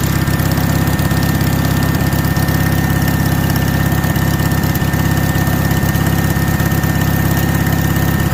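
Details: 1965 Cushman Truckster with 18HP OMC engine after jug swap, new spark plugs and carburetor tuning; needs choke to start, then idles with a steady, even low thrum, no knocks or misses: running pretty darn good, normal idle.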